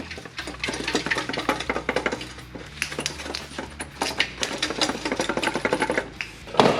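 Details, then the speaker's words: Lexus IS300 catalytic converter removed after failing, shaken by hand: loose irregular clattering like broken pieces tumbling in a can, meaning the internal substrate has broken up and the cat is dead. "whatever's inside that cat's completely dead"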